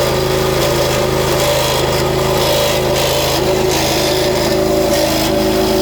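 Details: Small petrol pressure washer engine just back from service, running with a steady droning hum and an irregular, uneven hiss that rises and dips; weird abnormal noise, cause unknown.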